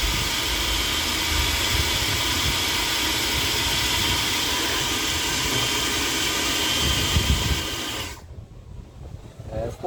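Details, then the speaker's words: Philips Walita food processor after cleaning and greasing its dry gears: steady even motor whir with smooth hiss, no grinding or rattle, stopping cleanly; the earlier loud noise is gone. "aquela zuada saiu ela zoada saiu aquela zoada né"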